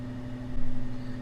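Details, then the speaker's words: Fan Handler HP-240 controller on a 2-ton heat pump air handler blower, condenser just switched on. A smooth, even low hum as the blower holds its low default speed before slowly ramping up; normal operation. "so the condenser just turned on and you can hear the fan staying at the same speed for now but it'll slowly ramp up"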